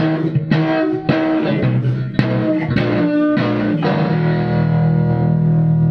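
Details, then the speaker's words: Vintage guitar amp, not turned on in years: guitar notes with a faint buzzy rasp as the final chord fades out; judged voice coil rub in the speaker, though parasitic oscillation also suspected. "But, right right there. There it is. That's voice coil rub."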